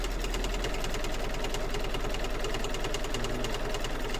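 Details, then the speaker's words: Embroidery machine stitching a star quilt block: steady fast mechanical tapping about three beats per second with a dull thump each stroke, sounding thumpy and a bit loud; owner unsure of cause, expects it may work itself out. "sounds a bit thumpy doesn't it"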